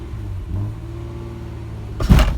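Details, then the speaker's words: Ford Probe GT on its first drive in five years, pulling away in first gear: low engine drone, then a sudden heavy clunk and skipping shudder; transmission or clutch suspected, cause not confirmed. "oh that big skipping oh maybe it's just a clutch okay let's try it again put in first gear let's see if it clunks oh it like just skips"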